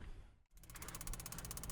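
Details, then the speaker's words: 2021 Keystone Alliance RV, Suburban water heater whose propane side would not light, after a control board replacement: brief hush, then rapid crisp igniter ticking of about fifteen sparks a second and a soft flame roar. Normal igniter spark and burner lighting. "board yes thank you there we go guys that was pretty successful the board is igniting it is now on propane job accomplished"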